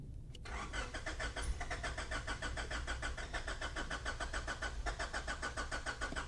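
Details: 1995 Honda Accord (non-OBD), towed in, cranks all day but won't start; after a component read 348,000 ohms instead of about 80 and was jumped: steady cranking over three beats a second, no firing.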